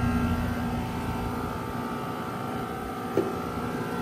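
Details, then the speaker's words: New February 2025 Trane XR14 1.5-ton heat pump outdoor unit; steady even hum with a few fixed tones, no knocks, rattles or grinding; running normally. "Um, so here is the 2025 1/2 ton train XR14 heat pump running."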